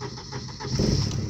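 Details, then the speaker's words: Volvo 940 Turbo cold start after about two years sitting, new battery, little fuel in tank, fuel pump heard priming: cranks about half a second, catches and settles into steady low idle; starts normally. "we go it's not much in the tank but it was enough"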